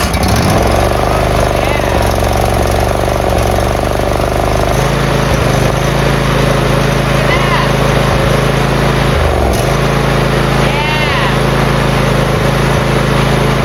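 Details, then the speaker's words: Briggs V-twin riding mower engine, previously seized from running dry on oil and now unseized, run on starter fluid at full throttle with no choke: steady, even chug at fast idle with no knocks or misses, running perfectly on both cylinders. "Like, yeah, so first off, yes, we unseized the engine and it ran, like, perfectly."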